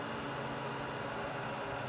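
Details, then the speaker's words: IBM x3650 M4 server after a cold boot, with the IMM configured for low noise: a smooth, steady, airy fan whoosh with no pulsing or revving. The fans are normal and quiet. "It is not that loud at all. And I love better IBM servers because they're not loud, they're power efficient, and they're powerful."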